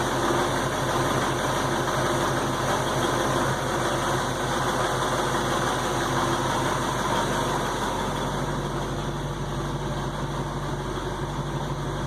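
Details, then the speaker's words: 1968 Ford Mustang, fully warmed up, idling in gear: steady low clunk about three per second under engine hum; occurs only when warm, smooth when cold, cause unknown. "The noise under the just general hum of the engine. It's kind of a clunky, rhythmic clunk, clunk, clunk, clunk, clunk, clunk."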